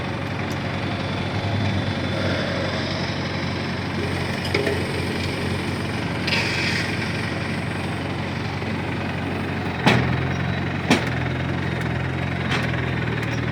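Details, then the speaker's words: 1953 Farmall Cub tractor after refilling the hydraulic system (NAPA tractor hydraulic transmission fluid): even low rumble with a couple of handling clunks, earlier high-pitched squeal gone; normal running. "sure has gone that high-pitched wheel that we heard squeal that we heard earlier is certainly gone"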